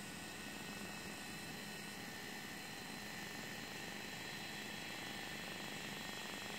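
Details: DJI Phantom 3: constant high-pitched whir with a fine buzz and no change in speed; the small internal cooling fan is running unusually loud.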